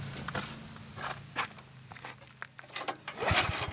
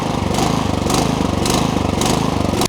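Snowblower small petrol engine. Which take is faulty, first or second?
second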